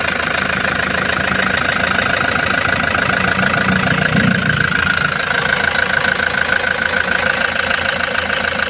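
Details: Toyota HiAce diesel van that would not start, after another shop replaced the suction valve, idles steadily with light, even clatter once its pressure pump is refitted; normal diesel idle.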